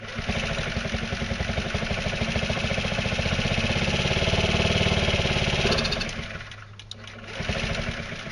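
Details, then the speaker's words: Carbureted scooter with fuel line clamped before the fuel pump, hydroxy cell off: small engine sputters in uneven pulses, sags and dies, then tries again; cannot run; engine stalling from fuel starvation. "okay so you can see that it's definitely not not able to run right now"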